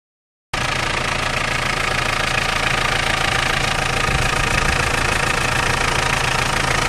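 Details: Mitsubishi Pajero 2.8TD diesel running cold: a regular rattling tick, about three or four a second, over the engine; rattle returns when hot with the wheel on full lock; owner thinks it is the chain, not confirmed.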